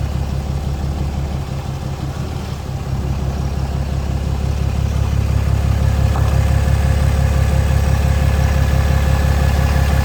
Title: popping noise ram 2500